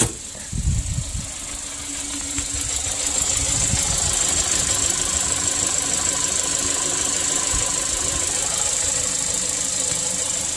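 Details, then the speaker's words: 2016 Kia Sorento 2.4 with an oil-fouled cylinder 4 plug for P0304, after adding two and a half quarts of oil: brief start-up rumble then even idle with steady high hiss; misfire count zero, runs clean. "so I got zero on there now all right Miss fire's gone"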